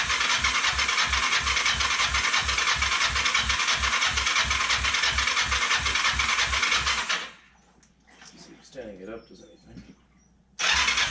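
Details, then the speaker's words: Kawasaki Ninja 500 that cranks but won't start (title says it has spark and compression), choke on. The starter churns about three times a second for seven seconds with no firing. The owner doubts it has enough fuel, suspecting fuel starvation. "Throw the choke on. Now honestly, I don't think it's got enough fuel in it."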